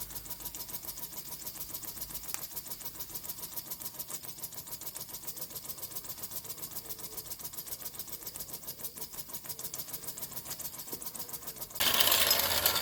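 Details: Vintage Mamod toy steam traction engine, stored in its box under the stairs for 40+ years, cleaned up and run: quick, even chuffing at about three to four beats a second with no misses or knocks; runs smoothly.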